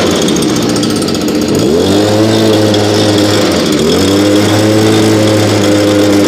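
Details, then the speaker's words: Nearly new blower, bought last year and hardly used, cold start around 30°F after 5 months stored on ethanol-free fuel without stabilizer, primed three times: little two-stroke settles to a steady buzzing idle with two brief dips, smoother than the old BG86; normal idle. "so idle's way better than the old bg86 that we have again it is you know fairly new so i'll give it to the condition that it's in of starting and idling a lot smoother and throttle response is definitely incredible"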